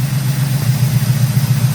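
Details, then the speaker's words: 1971 Oldsmobile 455 V8 after timing set to 12 degrees: deep steady burble, even lope idling about 780 rpm, no knocks or misses. "There, that's 12 degrees. Idling at about 780, Battle."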